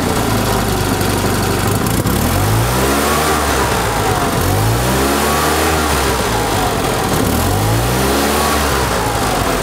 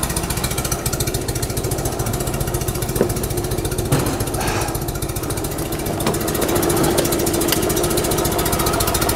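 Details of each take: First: 1974 Fiat 500 small air-cooled engine, ignition timing set to the 7.5° before TDC mark: blips up and drops back cleanly several times, rising smoothly without stumbling or popping; normal revving. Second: 1974 Fiat 500 twin, ignition timing set a few months earlier, distributor cap found loose: uneven, lumpy beat that stumbles and surges, misfiring and running rough, jerking and shaking.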